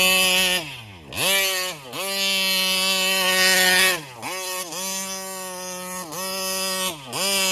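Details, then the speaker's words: Kraken Vesla 0.5 RC boat with 35cc Taylor reed-valve two-stroke: revs up in bursts, then sags and cuts out instead of holding top revs and dies; owner suspects the carburetor starving for fuel at high rpm, possibly a plugged or doubled screen. "oops she died there's something going on I think this carburetor is like I don't know there's something going on with this carburetor it feels like it's like it's starving at a fuel on high RPMs"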